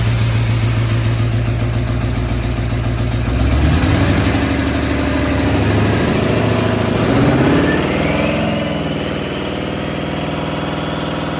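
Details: 1972 Ford F250 old V8 starting up: catches and settles into a steady, even lumpy idle with a revving rise midway, no knocks or rattles standing out; normal running.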